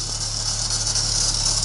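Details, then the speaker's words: Volvo, running: fast tinny rattle buzzing steadily over the engine the whole time; something is loose, source unclear. "Wir hätten ja schon richtig schön so Klappergeräusche machen."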